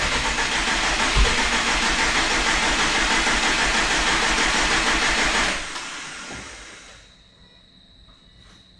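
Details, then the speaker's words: Subaru STI build after injector O-ring swap: starter turns steadily, about three beats a second, never catches, then winds down; cranks, no start. "I did try to start it this afternoon just just in case just to see if it'll start but uh no go no dice"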